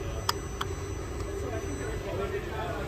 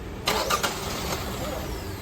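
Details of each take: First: Engine start right after both camshaft position sensors were plugged back in; it would not start with them unplugged. A short crank catches at once and settles into a steady, even idle. Normal start. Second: Both camshaft position sensors (intake and exhaust) unplugged: the starter spins the engine over steadily but it never fires, a crank no-start. With the sensors plugged back in it starts and runs, since the PCM uses them mainly on startup.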